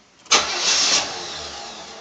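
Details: 1985 Chevy Caprice Classic, 305 V8, about 88,000 miles, cold start after two throttle pumps: starter grinds over in one short burst, then the engine fails to catch and fades away; a non-start.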